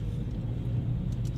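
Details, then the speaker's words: Geely Emgrand GS at 80,677 km, after retightening the left front lower control arm bolt and replacing the front stabilizer links: only a steady low road rumble while driving, no clunks or knocks; chassis suspension now quiet. "现在跑起来一点声音都没有了，大家可以听一下啊。"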